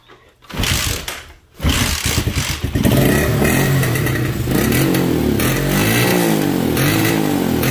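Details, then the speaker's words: Motorcycle, warm, with the old ignition coil reinstalled for comparison: fires, then stumbles and surges unevenly instead of holding a clean rev. The problem returned immediately, confirming the failing coil. "inmediatamente comenzó el problema inmediatamente comenzó el problema"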